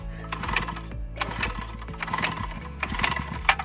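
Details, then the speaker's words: Mini bike small petrol engine after nitrous install and a nitrous backfire: idling with rapid, irregular metallic knocking in clusters, sounds like something loose inside. Possible rod knock, unconfirmed before teardown. "Dude, it sounds like something loose in there. Yeah, oh yeah, you hear that? All right, so there's a rod knock or something."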